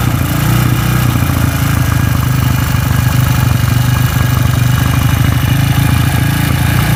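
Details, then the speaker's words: Honda CB with stroked-up engine vibrating badly and rough, loose camshaft rocker noted: deep, heavy, uneven thrumming with harsh shaking knock growing louder with revs; worn connecting rod. "karena ini yang bermasalah adalah di bagian setange kalau lemon menyebutnya seperti itu ya karena waktu tiga sedikit-sedikit hentakannya ke hentakannya kemlitik itu makin kenceng Rek Rek Rek seperti piston itulah seperti piston baret kondisinya sepe"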